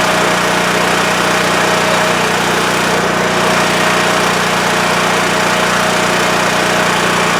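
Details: WEN TF1450X 14500W tri-fuel generator, repaired after running 20 seconds then dying with loss of spark: constant steady drone, fixed hum, no surging or hunting, holding speed smoothly at no load; runs healthy, display shows 232 volts.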